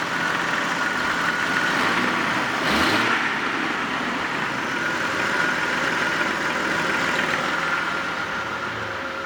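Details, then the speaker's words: 1995 Jeep Grand Cherokee petrol engine idling unevenly while the brake pedal is held, settling somewhat once released; rough idle triggered by pressing the brake. "I just stepped on the brake, which causes the erratic idle."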